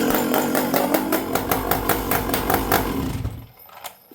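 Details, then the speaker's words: Stihl 064 chainsaw started cold without choke fires up and runs with an even, steady pulsing before settling to idle; healthy start, good starter. "It starts good. It's cold now. I'll just turn it on, no choke."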